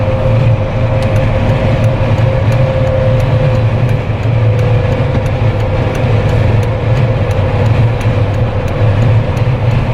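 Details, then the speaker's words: Jeep Wrangler with LED light bar after a no-cost whistle fix, at about 115–120 km/h on the highway: steady low road rumble and wind rush, no whistle or tone; only the wind hitting the Jeep itself. "I hope you guys can hear the wind that's hitting the Jeep itself though. quiet, like super, super quiet."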